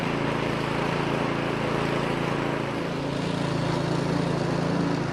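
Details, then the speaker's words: Two-stage snowblower engine that had only run on choke and surged/died in run position, after full disassembly and reassembly; started on choke, runs steady and even at constant speed with no hunting or surging; healthy. "Okay, let's see if we can get this thing to start. Got the throttle on, pump it a few times, got it on choke."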